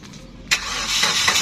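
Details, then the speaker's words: Suzuki Karimun Wagon (Dilago) 1000 cc three-cylinder: brief crank catches at once into a steady, even idle with no stumbling or rattle; engine described as still smooth. "Oke, ini untuk kondisi mesinnya ya. Nah, masih halus ya."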